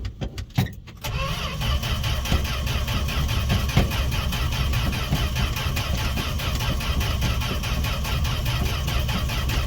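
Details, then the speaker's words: Canadian-built Fargo D100 (Dodge D100) pickup, cold start after sitting seven months: starter churns engine over in quick steady rhythm but it never fires; owner suspects fuel pump or ethanol-damaged carb parts, next pours gas down the throat. "all right this isn't working we're gonna give her a little gas down the throat give me one moment"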